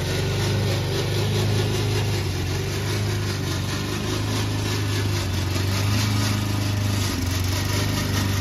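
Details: Old Toro Recycler mower cutting Kentucky bluegrass, binaural recording, before fix: steady small-engine drone under load with a rough, rattly clatter from the drive system; the noise was later solved with WD40.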